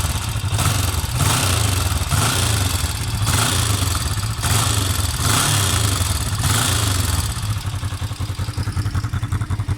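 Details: Kawasaki EX500 motorcycle engine at idle: rapid dry ticking/clattering over the low exhaust rumble; valve clearance adjustment didn't help, cause still undetermined.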